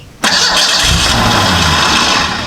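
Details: Model A hot rod coupe with a 2.3 L Ford four-cylinder and Duraspark II ignition, just fitted with a new ignition box: catches on the crank and revs briefly, then sags and quits within seconds. Fires on crank but won't stay running; owner wonders if flooded.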